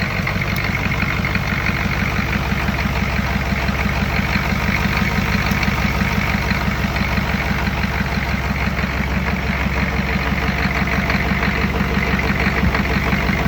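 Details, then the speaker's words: Diesel engine first start with a swapped-in injection pump and newer glow plugs from a donor engine, timing not final: lights right off, even clatter at steady idle about three beats a second, no misses or knocks; normal idle. "so fire it up and it lights right off so that's cool"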